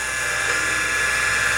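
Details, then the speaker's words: Original CM5616 MFM hard drive (256 cylinders, 6 heads) in a Convergent AWS Turbo with matching controller and CPU: constant high-pitched whine over a soft hum, sounds bad, yet the drive still boots CTOS. "and it's not sounding so good but heck yeah that really doesn't sound good let's see if it boots"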